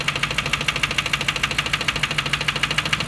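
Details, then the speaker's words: Lincoln Town Car, over 250k miles, ran fine then suddenly began knocking while idling parked in a garage: sharp even tick about three per second over steady idle; owner suspects valve train issue; engine knocking at idle. "so this morning car was running fine parked it in the parking garage while i was sitting in the car uh just checking my emails before i walked into the office all of a sudden the car started making uh a knocking noise"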